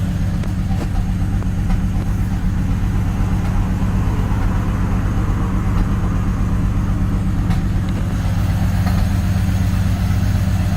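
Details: BMW 330i cold start: low, uneven, lumpy idle, running rough; cause not evident.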